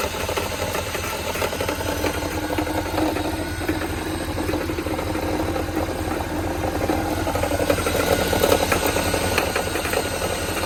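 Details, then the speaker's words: Mercedes CLS63 with M156 V8 at idle: irregular light knocking, about two per second, like a rod knock. Replacing the water pump didn't fix it; the alternator is now suspected, cause not confirmed. "So this a quick update on this. My buddy CLS63, and we got this like rod knocking type of noise."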